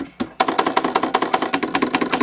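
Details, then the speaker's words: Vox Continental organ keys clack fast and hard, loose and chattering before rebushing: worn key bushings. Properly bushed keys are quiet and tight. "That's a perfect example. You don't want to hear that. They're all loose and chattering."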